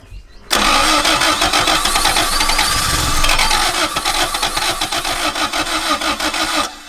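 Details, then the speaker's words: Mk1 Toyota MR2 twin-cam 16-valve project car: fast even starter churning about six seconds with no catch after a brief attempt to fire; cranks but won't start. "She did try. Go on, give her it again."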